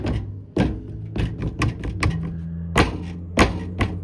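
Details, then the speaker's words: 2020 Ford Edge SEL, about 40,000 miles, flutter noise: irregular hollow plastic clunks and taps, one or two a second, as the loose undercarriage splash cover knocks against a unibody frame member; no secondary cover present. "And I think the rattling, see if I put this cover back up and I push it on, the rattling is this cover against that frame member."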